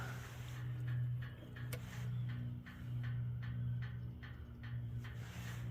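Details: Duromax XP12000HX generator after replacing factory spark plug with NGK BPR6ES and new fuel hose, previously backfiring and hard restarting: steady low drone, even beat, no popping or misfire; runs smoothly.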